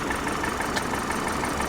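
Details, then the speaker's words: Repossessed Infiniti QX56 from Copart, service engine soon light on, suspected disconnected driveshaft; idle sounds uneven and lumpy, note wavering instead of steady; rough idle of unknown cause. "Looks like it's idling a little on the rough side."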